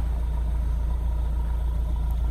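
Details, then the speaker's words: Mahindra Roxor diesel, first start after polar-vortex storage outdoors at -5°F on the standard battery: deep, steady rumble with an even beat, no knock or tick, smoke reducing as it smooths out; healthy cold idle. "can hear the engine that smooth out completely still smoking a little bit because it's cold while considering -5 degrees Fahrenheit it is performing great"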